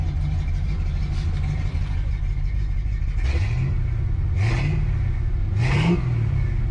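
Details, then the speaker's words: A Foxbody Mustang engine's throttle blips rise slowly and lazily; it sounds lethargic and labored. The owner suspects ignition timing and advances it afterward; an earlier pop was suspected as a spark misfire. "okay a little slow like i said a little lethargic"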